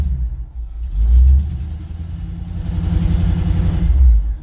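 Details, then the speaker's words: 1965 Ford F-100 idling with deep rumble and faint quick ticking; small exhaust leak, probably the header gasket, to be inspected by removing the header bolts. "engine ticking noise probably coming from the gasket that's on those headers so we'll uh take out those bolts which suck and uh and take a look at what that gasket looks like"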